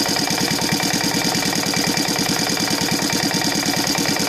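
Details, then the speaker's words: Saito FA-125 on CH Ignitions CDI glow conversion, timing 30° BTDC, Evo 15x6 prop, 15% nitro, after timing adjustments: fast even popping beat with crisp exhaust bark at about 1,100 rpm idle, no misses; normal idle. "right now i think it's somewhere around 1100."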